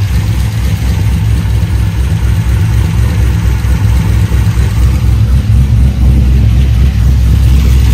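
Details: Corvette LS with Cam Motion Titan 5 camshaft and 660-lift valve springs, first start after cam swap: deep uneven chop at idle, loping about four times a second; normal big-cam idle.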